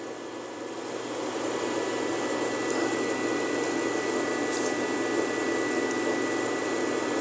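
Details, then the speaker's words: MIG welder cooling fan, previously dragging and sluggish: steady, even whir with faint constant whine, no dragging or slowing; runs smoothly at full speed, slight rumble may hint at bearing/bushing issue. "That fan's just humming along. You can't fix it if it ain't broken."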